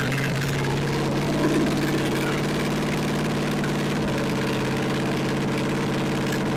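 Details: 1964 Chevy 283 small-block V8, fresh budget rebuild with DIY porting, first warm-up on a test stand: steady fairly loud idle, even low drone with some valve clatter, no misfire noticed; running normally.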